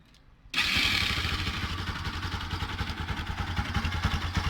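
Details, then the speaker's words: Bajaj Pulsar (Rouser) NS200 motorcycle after repair starts and settles into a steady even idle, engine noise gone; the noise had been caused by a burnt stator. "el punto es que está arreglada la moto y era el estator ahora ya no hace más ruido"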